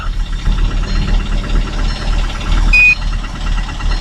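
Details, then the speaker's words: Kia Sedona idling unevenly with a lumpy, stumbling low pulse; check-engine light on, engine coughing and overheating; misfire on cylinder three. "On a un raté d'allumage sur le cylindre trois, ce qui n'est pas très grave, et je vais vous montrer le bruit que fait la voiture maintenant."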